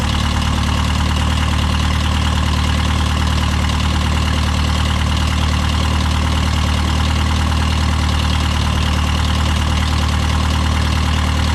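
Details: Case VAC tractor just started in the garage, choke out, after installing a new aftermarket water pump for overheating after a coolant change; still cold, with coolant visibly flowing. Steady, even low idle with a smooth beat, no knocks or misses; healthy.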